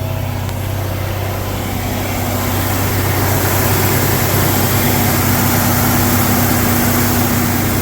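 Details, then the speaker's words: 1999 Jeep Cherokee, freshly rebuilt engine about 10 minutes into its first start and cam break-in, held at about 1800–2000 rpm with about 60 oil pressure; deep, even hum with no knocks, misses or leaks; normal fast idle. "That was the actual first start of the new build. So. Alright, this is about 10 minutes in. Still running really good."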